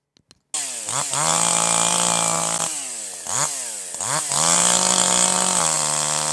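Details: Older piston-ported chainsaw, H screw slightly rich: wide open with no load, revs burble with slight hesitation (four-stroking); loaded in the cut the sound smooths out.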